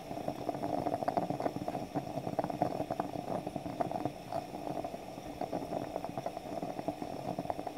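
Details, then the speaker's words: French stovetop espresso pot percolating on the stove as coffee visibly rises: soft, irregular gurgling and sputtering over a quiet hiss. This is normal percolation; it ends with a final loud hiss or simply stops, depending on the model. "It'll give a final loud hiss when it's done. Or simply stop making the percolating noise. Depends on the model you have."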